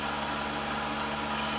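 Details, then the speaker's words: PM-728V-T mill spindle at max speed (4375 rpm): smooth, steady high whine at constant pitch, no knocks or rumble; little vibration felt by hand, well balanced; normal spindle running. "vibration I put my handle on it I don't feel much it's well balanced"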